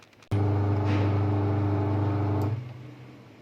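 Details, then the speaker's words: Fully automatic washing machine tested without PCB on direct 220VAC, main motor fed through the purple connector wires, clockwise run: sharp start, clean steady hum for two seconds, smooth wind-down. Healthy drive motor. "सबसे पहले purple connector जिस पर main motor की दोनों तारें हैं, क्लॉकवाइज और anti clockwise check"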